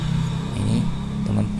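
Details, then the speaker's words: Automatic scooter idling with the CVT belt fitted; coarse, uneven grumble under the engine note. Mechanic confirms a worn rear pulley bearing (laher) and will strip and replace it. "Nah teman-teman bisa dengarkan ya suaranya ada di pulau ini jadi ada kerusakannya bisa dipastikan kerusakan itu pada puli bakam ya ini"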